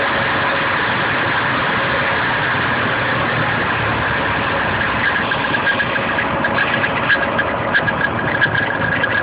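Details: Nissan KA24DE engine at idle: light rattly tick about one or two a second, traced with a hose to the front timing chain cover; chain was fairly tight; owner suspects timing chain guides, unconfirmed.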